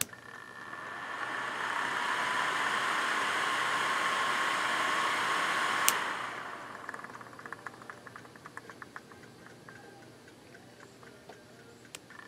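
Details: Vintage 1988 Comair Rotron Biscuit 12-volt blower, model BD12A3, bench-run from an old lamp transformer, once a rear-window defroster fan: steady airy rush with faint high whine, then spins down; runs normally, just a little noisy.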